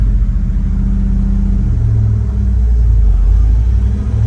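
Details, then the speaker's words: HQ one-tonner V8 with an M20 4-speed gearbox, restarted after stalling at the lights from running out of fuel (the gauge read full) and being refilled from jerry cans: steady low rumble with no stumble, surge or cutting out. Normal running. "She started and the handbrake's on. I got to get used to that."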